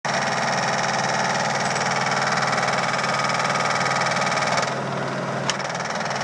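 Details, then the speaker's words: Samsung VTR steam washer on spin cycle, rear cover off: loud steady rattling bang two to three times a second, from a broken plastic mount that came off. "nothing but a little mount, plastic mount. There was one here. It came off. It broke. Sounds horrible, and it's just this plastic piece."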